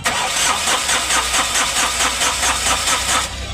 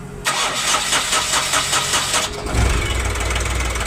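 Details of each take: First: Ashok Leyland Dost diesel after crankshaft repair and engine refit, cranking after DTCs cleared and rail primed: starter turns it at about five even compressions a second, never catches, then stops; no diesel delivery, air in the lines. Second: Ashok Leyland Dost diesel after crankshaft repair, after bleeding air from fuel lines: starter whirrs about two seconds, then catches and settles into a steady even idle; clean start, faults traced to bad crank sensor and rail pressure sensor.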